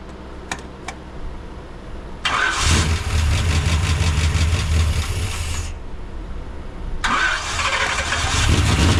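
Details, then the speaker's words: Chevy C30 square-body dually with newly installed Gen 6 454 big block, hydraulic roller cam, carburettor: first start cranks, fires, runs rough and dies; won't hold idle, suspected choke or idle speed setting. "it's not either choke or our idle speed. Let me just play with that really quickly."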